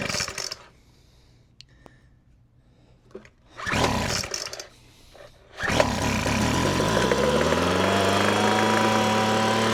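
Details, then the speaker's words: Weed Eater FB25 25cc two-stroke blower, non-runner, primed and choked: pull-start attempts, then catches into an uneven buzzing run, pitch wandering; rough running after priming, likely needing maintenance and cleanup. "Well, that went too terrible. Let's see if it fires back up. It might need to need some uh maintenance and clean up."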